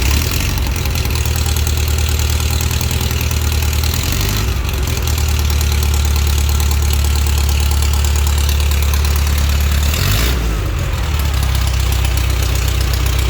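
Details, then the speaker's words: Pre-war Riley Brooklands engine, first run with straight pipes, no muffler and no coolant, carbs flooded via tickling pins: loud, deep, even exhaust beat at idle with brief blips, no knocks or misses; normal idle. "well that worked fine uh it's really loud cuz there's no muffler on it of course it's just straight pipes um that seems to be working great"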